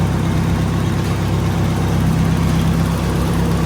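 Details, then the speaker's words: Nissan 240SX S14 idling while warming up, idle being adjusted, waiting for thermostat to open; low steady rumble, no misses or knocks, settling evenly; sounds healthy. "How you feel, Jones? Sounds good. I like it. It sounds really good, honestly."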